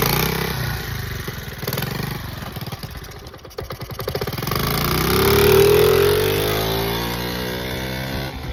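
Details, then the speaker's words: 1979 Honda Z50 custom build: it bogged and stalled, with owner suspecting timing or a loose valve. Small uneven thumps at low revs, then a slightly ragged beat revving; not blown but rough running. "I guess she's not blown. She does sound a little rough."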